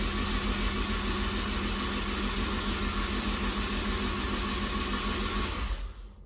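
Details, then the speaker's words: Honda S2000 with built 2.4 engine after fresh rod bearings, cranked with plugs out to build oil pressure: smooth, even starter whir with no knocks; solid oil pressure and fuel pressure, motor sounds good. "as you can see my old pressure is right there think we got fuel pressure motor sounds good there"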